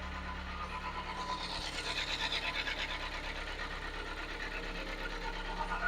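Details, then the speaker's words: Kia Sportage G4KD, restyled, all-wheel drive: steady rapid knocking, about three a second, over a slightly high idle; piston slap from deep scoring in the cylinders. "сейчас оборота маленько высоковато как только обороты упадут стук конечно же неимоверно идет под капота"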